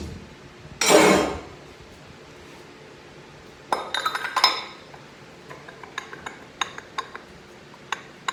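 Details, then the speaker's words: 2012 BMW 535i 6HP21 transmission on the bench during teardown: sharp irregular metal clinks as the E-drum is rocked by hand, showing a lot of free play, meaning the stator bushing is worn and will be replaced. "Lot of play happened there. That means the bushing wear. Okay? I'm going to change it."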